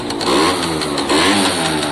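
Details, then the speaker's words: Italjet Formula 50cc two-stroke, electric choke just off, premix in fuel giving a bit of smoke: crisp buzzy note climbs cleanly on two light blips and settles without bogging or rattling; normal running. "Sounds very healthy to me. What I want to do is exactly what I said. I won't film it, but I want it to sit for 10 minutes just running itself like that."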